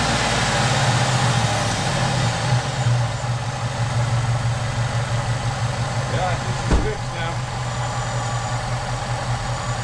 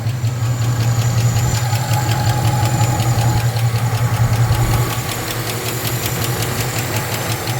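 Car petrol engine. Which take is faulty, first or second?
second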